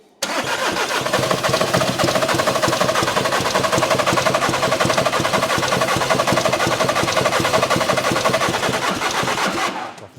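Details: VW Caddy diesel, about 490,000 miles, cranked with brake cleaner sprayed into the intake: long, uneven cranking for ten seconds that never catches; crank no start.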